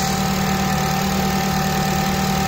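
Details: Honda FN2 with K20 intake manifold, J35 throttle body, homemade air intake and new oil catch can, first start-up after install: steady, smooth idle with constant hum, no hunting, surging or ticking; no dash lights, running perfectly, no leaks.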